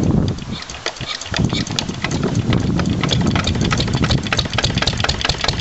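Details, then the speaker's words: Lister LD1 single-cylinder diesel, cold start around 5–6°, after a fuel filter change and bleeding: uneven, unsteady thumping, the injector sounding different than before. Rough running; owner suspects an air lock in the fuel lines. "so you can hear the ejector cre just isn't the same as it used to be"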